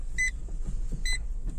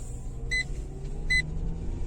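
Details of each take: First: Renault Megane 2 while driving after anti-squeak work: two short, sharp chirps about a second apart over low road rumble; a remaining cricket squeak suspected under the rear seat. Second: Renault Megane 2 driving after silicone treatment of interior trim to cure squeaks: steady road rumble with an indicator ticking and no creaks from the trim; the loud tailgate squeak is gone, one under the rear seat may remain.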